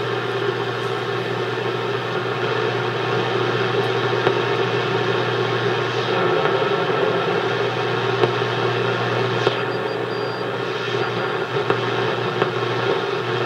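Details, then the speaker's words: Hammarlund HQ-140-X receiver, supposedly recapped, warmed up and tuned to the 40 meter band: steady hiss and low hum with sharp irregular pops every second or two; intermittent popping noise, cause not found. "Now that I turn the camera on, it won't do it, but there it goes. Got a little popping noise"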